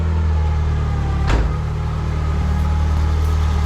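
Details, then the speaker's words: Nissan 240SX KA24DE after timing chain tick repair, with crossed cylinder 2 and 3 ignition wires corrected: a steady, smooth, even idle hum with no misfire or shaking; the engine runs cleanly. "So we're gonna try this again. Take 2. That sounds way better."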